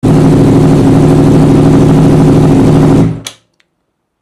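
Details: Honda CBR1000RR Fireblade four-cylinder at idle, then shut off: an uneven, stumbling beat from a misfire. A scan shows a current fault on the ignition coil primary circuit.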